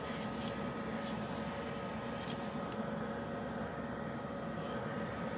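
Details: Externally mounted under-chassis Eberspächer/Webasto-type parking heater, about 2500 W, about 3 minutes after start, air turning lukewarm; phone about 1 m from outlet. Steady even fan rush with faint constant hum, no surging or rattles; normal running while warming up.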